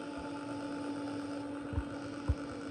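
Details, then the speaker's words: Bergonzi (Italy) TM 50 radial arm drill, hydraulic clamping, spindle speeds 30–1520 rpm, running at 560 rpm: quiet steady hum with one faint even tone and a couple of soft knocks; normal spindle running at low speed, sounds healthy. "Working at 560 rotations per minute."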